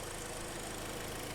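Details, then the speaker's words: 2012 Hyundai ix35, G4KD petrol engine, front-wheel drive, 130,000 km: low, even idle hum with a steady beat and no knocking after a small wire was reconnected; engine settled and healthy, normal idle. "этот проводочек подсоединили все заработало ну что двигатель работает все хорошо"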